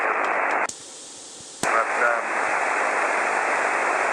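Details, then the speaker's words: Earbud at the microphone switching a QRP SSB rig from LM386 back to LM380 audio amplifier: constant high hiss under the audio on the LM386, dropping when switched to the LM380. "It's the audio coming through is the same, but you can really hear that high frequency hiss in the background."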